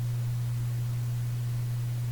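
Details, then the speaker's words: Canadian General Electric A55Z tube radio during capacitor replacement: after switch-on a steady, unchanging low mains hum comes through the speaker a moment later, nothing else audible. "there's the hum came right in hum comes in think about this doesn't come in the moment I hit the switch comes in a moment later"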